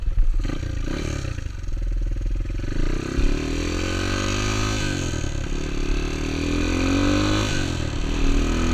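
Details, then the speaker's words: Honda XR200 single accelerating on its first test ride after a full transmission rebuild and other new parts: revs cleanly through the gears, pitch following the throttle, no knocks or grinding; running healthy, rider says everything felt smooth. "Test ride went awesome. Everything felt smooth. It didn't smell smooth. It felt smooth."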